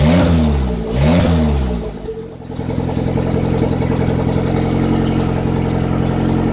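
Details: Honda D15 turbo engine at high RPM: revs swing up and down twice, about a second each, then settle to a steady drone; surging attributed to a bad Walbro 255 fuel pump.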